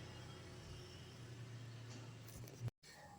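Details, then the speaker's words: Nissan X-Trail running engine, complaint of rough noise on acceleration: steady rough low growl from seized alternator one-way pulley making the belt vibrate strongly; fix is replacing the alternator pulley. "jadi kalau pulinya ini macet ya teman-teman dia akan berdecit bunyi beltingnya saat akselerasi atau dia bunyi kasar ngorok saat akselerasi ya"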